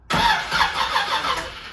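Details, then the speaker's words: Chevrolet Z28 (Camaro) cranking on fresh 93 gasoline from a temporary tank just after reassembly, no spark: starter spins the engine with an even, pulsing churn but it never catches; engine rotates freely, not seized. "all right so right now you have no spark"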